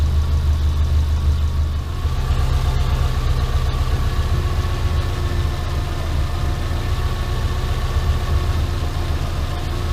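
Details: Subaru Impreza engine rebuild with SOHC heads, first start: low steady even idle rumble with no knocks, ticks or misses; freshly built engine running smoothly with no leaks; normal idle.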